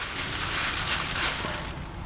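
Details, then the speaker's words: Nissan 350Z engine on a cylinder leak test, with compressed air fed through a spark-plug adapter: a steady airy hiss out of the exhaust; air escaping past the exhaust valve. "So, it's leaking from here. You can hear it leaking from here."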